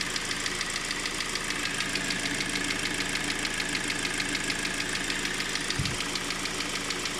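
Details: 4GNA engine knock: even, sharp tapping about 200 times a minute over a steady idle, from inside the engine; the source is not yet pinned down.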